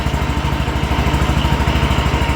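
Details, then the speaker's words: John Deere 325 lawn tractor, first start after a push-button start was installed in place of the failed ignition switch: small single-cylinder thumping at a quick, even pace with no stumbles or knocks; normal idle. "We'll make sure this thing fires up for us. That seems to work good."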